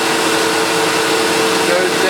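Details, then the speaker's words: Sebo Automatic X1.1 950 W upright vacuum, heavily used and reported not working, switched on before refurbishment: steady, even motor drone with a faint constant whistle and no stutter or grinding; running normally. "Maybe it's a brush roll. Let's turn it on. That sounds beautiful."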